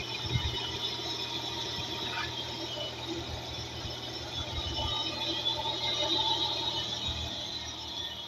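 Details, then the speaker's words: Hyundai Tuscani (Coupe) V6, timing belt done under 500 km ago and accessory kit said to be good: a thin, steady high-pitched squeal while running. Owner suspects a pulley; cause not confirmed. "Pas normal ça. Un V6 j'en ai eu avant, ça faisait pas ce bruit là."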